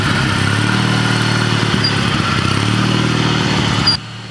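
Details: Old Ariens walk-behind mower with used lawnmower engine, idling in neutral: loud uneven clatter about four per second from the transmission, owner suspects worn input shaft bushing or bearing; transmission still works.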